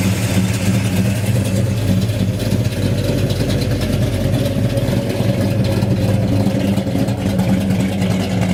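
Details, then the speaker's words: 1969 Dodge Dart with newly installed 440 V8, 4-speed, TTI headers, electric cutouts closed: deep steady loping idle rumble, even exhaust pulses, no tapping or misfire; running well. "I'll crank it up and let you listen to it. Sounds pretty good. Runs good. Sounds"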